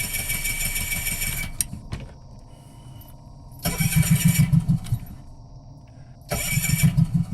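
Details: Two separate cranking bursts, a fast even churn about three beats a second, that never catch and run; crank, no-start.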